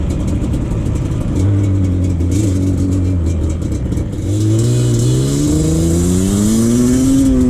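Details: 2001 Yamaha Banshee 350 ATV after exhaust leak fix: steady idle, then a smooth climbing rev with clean pitch rise and no puffing or ticking from the pipes; engine running normally.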